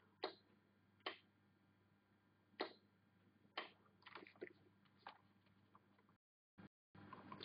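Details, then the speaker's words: DC bench power supply set to 9 V with about a 200 mA current limit. The two leads are touched together to cause a short circuit. Sharp, irregular relay clicks over a faint hum come from the protection tripping, and the voltage drops to zero. "you should be able to hear the clicking of the relays inside and see the voltage drop to zero indicating a short circuit"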